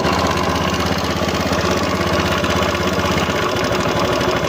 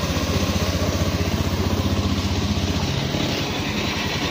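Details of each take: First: Honda Beat FI scooter, 2692 km, idling with pulley removed: harsh gritty grinding over a fast uneven beat, like something grinding inside; engine teardown found loose, worn cam gear bearing. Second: Honda Beat FI scooter at about 26,000 km idling with a smooth, even low putter after replacing the noisy camshaft (bad cam bearing) that caused a grinding engine noise: quiet normal idle after repair.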